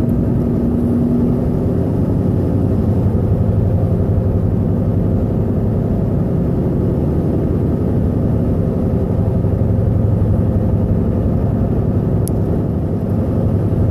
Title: Explain loud noise. And rpm bouncing